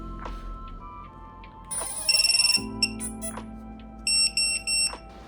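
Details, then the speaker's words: Quadcopter ESC startup beeps, sharp high-pitched electronic tones over background music, heard after reassembling a DIY waterproofed drone (silicone-sealed air unit, reapplied thermal paste); normal startup beeps, everything working. "So, it's time now for the second moment of truth. Does it all still work? Let's listen for the beeps."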